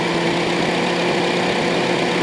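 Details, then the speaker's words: Honda City electric radiator fans after repair of weak fans that let engine temperature rise; idling, single step before coolant reaches temperature: steady even rush of air, no rubbing, ticking or wobble; fans running normally. "นี่นะครับเสียงจะดังครับแล้วก็หมุนแรงนะครับเพื่อระบายความร้อนนะครับ"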